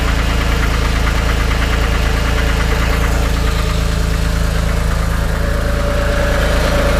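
Even idle with a steady, rapid knock about three per second sitting over the engine; the source of the knock is unclear.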